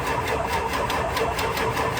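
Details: Ford 7.3 diesel truck with a fuse-blowing no-start fault, some glow plugs possibly not working: steady fast chuffing beat with a rattly top as it struggles to start; hard start, cause unconfirmed.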